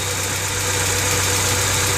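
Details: 1995 Honda Civic DX 4-door 1.5L petrol idling: steady light, fast ticking over a hissy running sound; owner suspects valves need adjustment, not confirmed.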